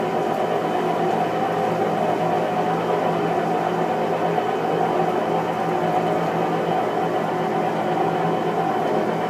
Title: new Whirlpool cabrio clothes washer is junk! loud noise on spin cycle